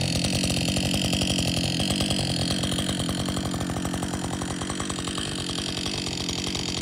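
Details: Husqvarna 562XP chainsaw, after the shop reflashed its software for dying when hot and stumbling, after a lunch break and refuel: steady idle with quick even firing pulses around four a second, no hunting or stalling; normal idle, better than it has run in a long time.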